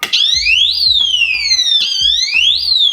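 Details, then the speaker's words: Piercing electronic siren sweeping up and down about every two seconds: a power-loss alarm fitted to a garage GFCI outlet (feeding the garage fridge and outdoor circuits) sounds because the GFCI keeps tripping once or twice a day; GFCI then replaced. "That is bloody painful. I can hear that anywhere in my house. But what's happening is, even though I have this on there, this breaker is tripping all the time. 2 in the morning, sometimes I hear it go off. It's almost like a fire alarm."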